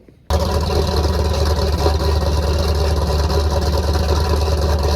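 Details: 334 small-block Chevy V8 after break-in and oil change: catches instantly, settles into a steady, slightly lumpy low rumble, no knocking; sounds good, still needs a little tuning.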